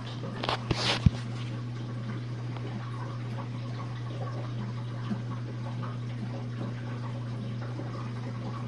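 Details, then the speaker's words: Jenn-Air dishwasher on Quick Wash with heated dry, drain phase after the main wash; a new air gasket was recently fitted and earlier low recirculation noises came from suds. A few clunks, then a steady low pump hum with no rattle or gurgle: normal drain. "Goes the draining. And as you can hear, you can definitely hear the water draining"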